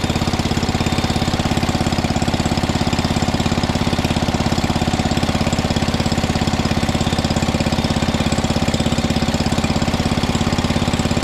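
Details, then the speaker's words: 1961 International Cub Cadet Original, 7 hp Kohler single-cylinder, first start-up, throttle all the way down, choked to start, now running with no choke: even putter at steady idle, about three pulses a second, no skips or rattles; healthy idle. "That was the first start up. >> It's running with no choke."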